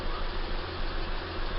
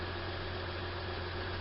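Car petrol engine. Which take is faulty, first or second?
first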